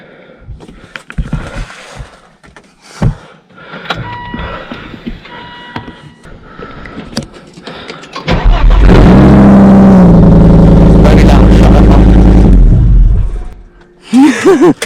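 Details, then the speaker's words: Volvo V70 2.4 with rear box and mufflers removed, only cat remaining, brief run: deep, booming, very loud unsilenced exhaust drone, shut off quickly to protect the cat. "That was loud. Yeah. That was very loud. I'll tell you what, that shows what it sounds like with no mufflers."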